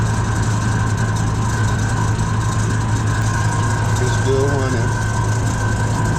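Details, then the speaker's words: USI combo vending machine model 3155 refrigeration compressor after replacing a leaking start capacitor: steady low hum with an even buzz and no straining or start-attempt noise. It now runs normally, vibrating, with cold air at the evaporator. "I don't hear it making that noise attempting to start anymore"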